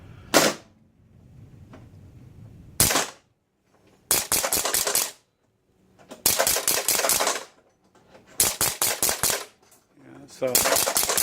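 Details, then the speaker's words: Captain Fantastic pinball machine during score reel reset: rapid bursts of sharp clacks in groups of four to six every couple of seconds as stray solenoids keep firing; owner suspects a code problem in how switches are read. "I'll hit reset and I think you'll you'll see in here that the other sillens are still firing"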